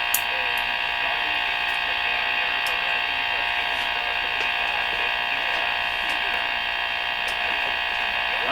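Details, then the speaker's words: Rogers 11RA651 shortwave radio during shortwave band alignment; a steady buzzing hum with a rapid pulse about four times a second over the station. Local electrical interference, suspected to come from something in the shop; source unknown. "that really sounds like something I used to hear on shortwave. That noise, I don't know what that is,"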